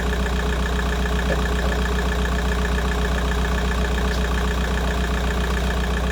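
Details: VW Golf 4 idling cold after replacing the water pipe seal on the cylinder head to fix a coolant leak, no leaks found, left running to reach 90°: even, steady idle, smooth low rumble, no misses or knocks; normal idle.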